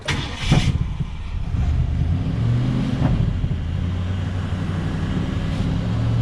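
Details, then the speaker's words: 1967 Ford Galaxie 500 289 V8 at first start and break-in, restarted after a small water leak and power-steering fluid smoke off the exhaust manifold; quick catch into an even, steady low rumble with no misses or ticking, runs real smooth; normal idle. "So as you can hear, it runs real smooth."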